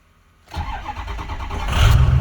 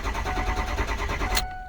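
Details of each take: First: 2005 Ford F-250 6.0 diesel after camshaft position sensor replacement for intermittent cranking no-start: brief crank, catches almost immediately into a firm rising rumble; starts much quicker now. Normal quick start. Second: 2005 Ford F-250 6.0 diesel, intermittent cranking no-start, code P2614, before camshaft position sensor replacement: steady rhythmic starter cranking over a second with no firing, then stops. Faulty cam sensor.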